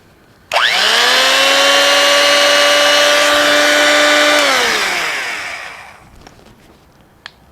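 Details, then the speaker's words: Drill with cast metal housing, probably 70+ years old, previously sounded bad on startup; now quick spin-up to a steady high whine, winding down smoothly. Normal running. "Wow, it made a liar out of me because last time it sounded really bad. This time, not so bad. Not bad for probably a 70-year-old drill, maybe more."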